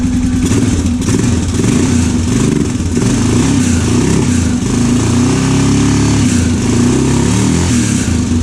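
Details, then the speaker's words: Honda 650 of unknown year, brought in as non-running: loud single-cylinder running, revs rising and falling, loose clattery rattle that comes and goes, slight smoke; owner suspects crank or piston slap or water in engine, unconfirmed. "that's a gnarly noise just to go away H well it runs it was rattling like Grazy now it kind of stopped very odd"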